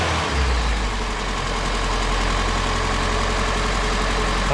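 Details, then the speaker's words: Engine started after installing a new electric universal fuel pump in place of the old mechanical one; the new pump holds about 7 psi and pushes fuel. The V8 settles into a deep, even idle without hunting or stumbling, sounding healthy. "Let me crank it and see what happens here. That was easy. Sounds pretty happy, but"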